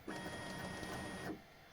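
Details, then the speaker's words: Bambu Lab X1 Carbon 3D printer, upside down: thin steady squeal over the motor whir as the bed moves up, from the bed belt pressed against the lower edge of its tensioner roller, which has rubber built up on it; owner plans to grease the roller edges. "Вот он прижался к нижней кромке. Теперь давай вверх. Ну и вот появился скрип."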